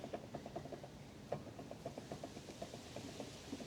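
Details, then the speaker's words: Mazda RX-8 gearbox removed for 3rd/4th gear grinding and noises, input shaft rocked by hand outside spigot bearing: light irregular metallic clicks, four or five a second, lots of movement; owner suspects failed bearing causing noise, unconfirmed; gearbox input shaft play rattle. "Yeah, there's a lot of movement in there."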